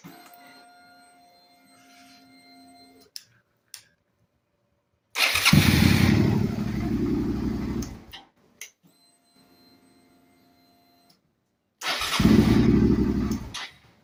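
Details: Suzuki SV650 with intermittent click-no-crank, after disassembling and cleaning the starter motor: two bursts of brisk, even cranking with the engine catching each time, no clicking or grinding.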